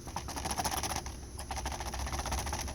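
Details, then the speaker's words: 2013 Honda Civic clicking over bumps and in turns: quick plastic clicks and rattles as wheel caps are wiggled by hand; the plastic lug nut covers are loose because their rubber washers no longer hold them, not suspension or CV joint. "it's basically a plastic hubcap lung nuts have this little rubber washer on it and when you tighten up the lug nuts the washer is supposed to push up on this and hold"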